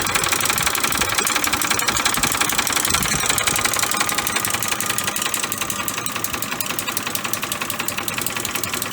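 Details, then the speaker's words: 2005 Ford F-150 5.4 three-valve V8, run completely out of oil, hot day: fast dense metallic clatter over the idle without letup; timing chain rattle. "I know I'm hearing your timing chain he ran it out of oil completely out of oil he tells me"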